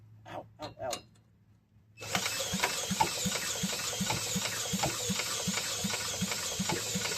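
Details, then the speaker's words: Toro 18005 mower, carburetor previously removed for cleaning, primed with poured gasoline mixture: rapid uneven popping about three a second over loud rattle, catching briefly but not settling; engine fires but won't keep running, ether to be tried next. "She tried I mean okay I'm going to stop with like the liquid you know at least with the gasoline mixture I'm going to try with ether I got some ether right here."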